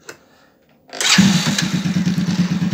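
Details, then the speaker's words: Keeway Target 125 (110/125 cc Cub-type motorcycle engine) started and at normal idle: even, quick low puttering with soft rhythmic puffing on each beat; the PAIR air-injection valve opening on exhaust vacuum pulses, normal operation. "system like this as you can see has a quite particular noise which is the noise of the exhaust when it vacuums when the exhaust vacuums when the exhaust valve closes"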